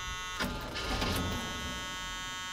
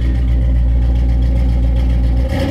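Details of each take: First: High-compression small-block Chevy 350, long sitting, jump-started with a portable jump box: starter whirs and churns unevenly for several seconds but the engine never fires; owner suspects it may be out of gas. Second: High-compression small-block Chevy 350 after sitting, just jump-started with a jump box: deep lumpy even V8 rumble firing steadily, no knocks or misses; normal running.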